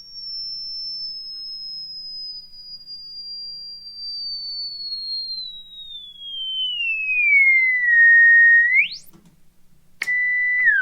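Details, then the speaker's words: 1935 Philco 54C speaker test, field coil energized around 117 V, 40 mA: clean sweep tone gliding down, no rattle or buzz, audible up to a little over 6,000 Hz; normal response. "you may hear it I don't know I started hearing about there's where I start hearing it that's a little over 6,000 Hertz"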